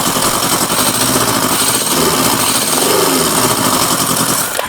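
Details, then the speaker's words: Kawasaki Z650B restoration after rebuilt carbs fitted, warming up: fast choppy uneven exhaust running on three cylinders; number one pipe stays cold, cylinder not firing, cause unknown. "but why on Earth don't I get number one cylinder firing up because right now I am a complete loss"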